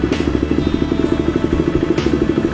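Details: KTM 390 motorcycle that stalled on the highway with the battery at 9V, now restarted after charging-system repair (stator/regulator diagnosis): crisp, even single-cylinder beat at about ten pulses a second with no misses or rattles; 14 volts, charging again.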